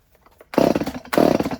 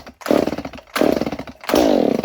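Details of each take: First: Stihl 019 top-handle chainsaw that sat for years, after a carb rebuild, choke repair and a new pull cord, with no spark arrestor fitted: two bursts of sharp, buzzy two-stroke revving at steady high revs, clean and even; runs great. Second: Stihl 019 top-handle chainsaw that sat for years in a barn, compression and spark confirmed, starter fluid sprayed into the plug hole: bursts into a high rasping roar then dies, about six times; fuel delivery fault, carb and fuel system most likely need cleaning.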